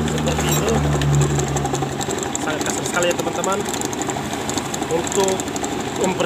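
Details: Honda Beat FI scooter that was never serviced regularly, owner complaining of a rough noise from the CVT case: coarse, uneven rattling from the belt drive rising with throttle, something loose at the rear pulley; the CVT needs opening.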